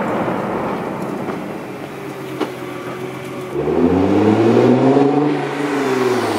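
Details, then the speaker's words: 2014 Nissan GT-R after swapping squealing OEM racing brake pads (never reaching temperature in daily driving) for cheap PosiQuiet pads: car rolling with low engine hum, braking now completely quiet with no squeal. "as far as noise goes it's completely gone they're completely quiet it's not because my old brake pads were destroyed or anything"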